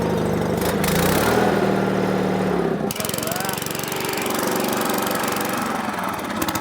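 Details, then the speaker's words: Rototiller that sat unused, restarted after adding gas, on second pull: small single-cylinder engine fires steadily at about four beats a second with a rough but even chug, holding speed; normal running. "jeez man I'd say that could rotationally till some land right there"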